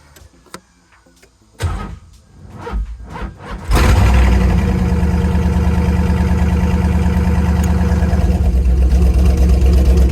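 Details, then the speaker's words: Nissan S15 first start after oil filter relocation work: clicks and cranking, then catches and holds smooth even idle with steady low rumble; runs fine. "oh i did it we did it you helped me ah man she's sounding so good too"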